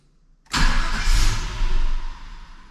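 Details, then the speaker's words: Red NBS Stepside truck, first start after HP Tuners tune and wideband install: engine catches instantly, runs about a second and a half, then cuts out; owner suspects VATS anti-theft security shutdown, plans to rescan the file. "it runs for a second then it cuts power that generally like it's a security thing"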